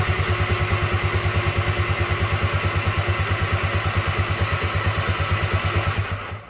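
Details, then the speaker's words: Tigershark PWC jet ski sitting unused 15 years, first start attempt after resetting popped e-box breaker: steady starter cranking with even chugs about three per second, never catches, water squirting from cylinders; won't fire until water is cleared. "water squirting out. I've been doing that on and off for quite some time, trying to get all this water out. There was a lot more water in here than I thought there was."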